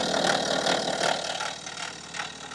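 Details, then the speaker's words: 2014 BMW F15 with N57 diesel, 184,000 miles, idling, mic on engine, chain reading -2.1 degrees: busy, fast, rhythmic metallic rattle over lopey diesel clatter; stretched timing chain, not yet snapped. "So this is exactly what stretched timing chain sounds like on your BMW diesel."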